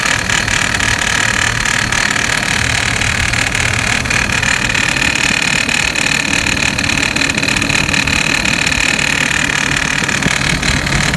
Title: 2006 Hummer h3, rattling noise after replace serpentine belt